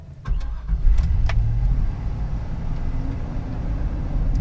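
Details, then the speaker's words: Chevrolet Silverado extended cab 5-speed truck V8, completely cold start with AC on: idle flares to about 2200–2500 rpm, hangs, kicks back up, then drops to around 800; owner expects about 1300; new intake manifold gaskets and knock sensors didn't fix it. "Revved about 2200 that time. There you can see, kicks back up again. And finally it'll drop around 800 or so. So like I said, that was a cold start with the AC on. I'm pretty sure it's not supposed to rev that high."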